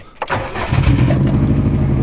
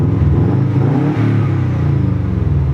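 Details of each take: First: 2003 Subaru WRX wagon, first start right after replacing all four coil packs for misfiring on all cylinders: engine catches then shakes with a deep, uneven, lumpy idle; cylinder 2 misfire detected, cause not confirmed. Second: 2003 Subaru WRX wagon revved after all four coil packs were replaced to fix misfires on all four cylinders, with no codes found: quick blips rise and fall cleanly with an even exhaust note and no stumbles; misfire fixed, normal revving.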